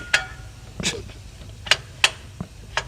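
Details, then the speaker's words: Flexplate exposed with the transmission removed, rocked by hand: sharp, irregular metallic clicks about two a second; the flexplate is cracked around its centre, a noise mistakable for rod knock. "Yes. That is not supposed to do that, guys. All right. So, this is broken."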